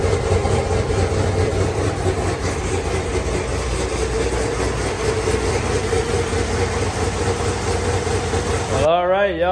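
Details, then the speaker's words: Turbocharged, cammed Chevrolet Suburban (GMT800) on first start after the build: a quiet, fairly smooth idle with soft low rumble and no knocks or ticks, oil pressure up, turbo spinning; running normally. "she's running turbo is spinning she's pretty quiet"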